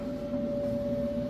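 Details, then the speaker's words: Maytag electric dryer, a couple of years old, on time dry below full temperature and heating. It is louder than usual because there is no vent hose. A steady hum with a soft, even drum rumble and no squeal or thumping. Normal drum tumbling. "can kind of see it spinning there, tumbling. Sounds great. And then once you get your vent hose on the back, it muffles this."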